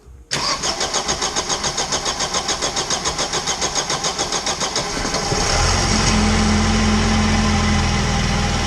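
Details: Vauxhall Calibra, off the road about 18 months, no major service in about 10 years, started after fresh oil fill during major service, coolant not yet topped up: cranks evenly about five seconds, catches and settles into smooth steady idle, no knocks or ticks.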